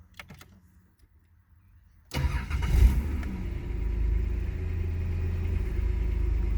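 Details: VP Commodore that was running rough with a check engine light, first start after ECU replacement: engine cranks, catches at once and settles into a smooth, even idle with no stumble or hunting; idle where it should be.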